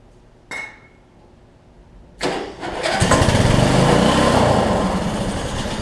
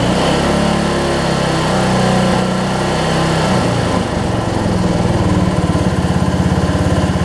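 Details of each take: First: Weed Eater riding mower with 16.5 hp Briggs engine, six-speed, sat a while: short crank, catches and runs raggedly for a few seconds, then fades. Fuel delivery suspected; later found likely debris blocking the fuel line, carb bowl clean. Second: Weed Eater AYP riding mower with 16.5 hp Briggs single, after fuel bowl refitted and fuel leak addressed: runs steadily at high revs, then eases to an even lumpy idle; fuel gets through and it runs fine.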